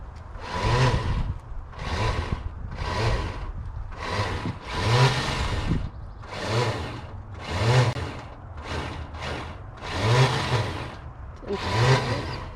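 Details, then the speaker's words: 1995 Buick Roadmaster Estate Wagon sitting for a few years, first crank attempt: starter whirs in rising and falling surges roughly every second without catching the engine; starter spins but is not engaging the flywheel. "Sounds like the starter's not making contact with anything. But we have headlights. Had headlights. The starter was just kicking out when we had it going in, though, wasn't it? Definitely sounds like the starter's spinning. But it's not making contact."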